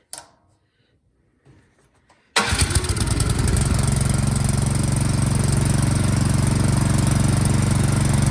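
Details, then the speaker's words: Fairly new Troy-Bilt snowblower that would not start, after carburetor jets and passages cleaned of debris, primed and choked; catches at once and settles into a steady, even putter; fault was just a dirty carburetor, now runs normally. "all right just the dirty carburetor"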